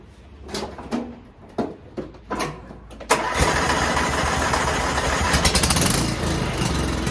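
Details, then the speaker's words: Cub Cadet XT1 LT 42 riding lawnmower started on a roughly 65-degree day after spring maintenance (oil changed, spark plug done last year, air filter ordered): cranking knocks, catches about three seconds in, settles to steady even idle; normal start and idle. "There you have it. So basic maintenance done. I can cut with it as it is right now."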